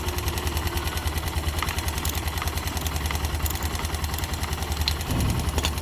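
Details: YB motorcycle with a deep, throbbing single-cylinder idle and light knocks, about three a second, riding on the beat; abnormal engine noise of unknown cause.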